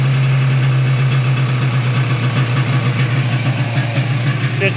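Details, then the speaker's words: 1995 Yamaha Phazer 2 two-stroke snowmobile after sitting five years, dry carbs, started on choke with the track off the ground: a steady, even buzz at one low pitch without stumbles, running pretty good. The carbs later still needed cleaning. "that's a little better I know it sounds like it's running pretty good well I don't think that was too bad for it sitting for five years"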